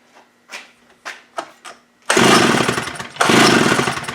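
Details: Stihl 041 AV chainsaw, cleaned with carb diaphragm serviced, first start attempt on full choke: several pull-cord strokes, then two rough bursts of high revving that quickly sag and die; fires but won't stay running.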